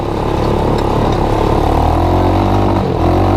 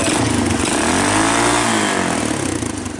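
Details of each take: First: Honda TRX200SX single-cylinder ATV engine in EZGO golf cart, driving with choke partly on: uneven lumpy "lumpity-dumpity" thump wavering under load, too rich; rough running from choke. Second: Honda TRX200SX ATV single-cylinder engine in EZGO golf cart, just fitted with custom muffler: thump revving up and settling back with a few exhaust pops, running evenly; healthy idle and throttle response.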